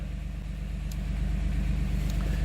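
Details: 2007 Dodge Nitro idling after its fuel pump was replaced a second time. Smooth, even low idle with a steady pulse and no misses, knocks or hiss over a quiet background; runs normally.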